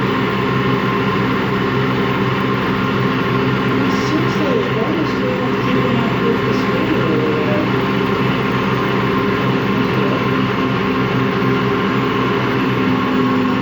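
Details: Washing machine run empty on rinse and spin: constant rough gritty growl and rumble, never smoothing out; drum not loose, owner suspects worn motor or drum bearings, spin not reaching full speed at the end.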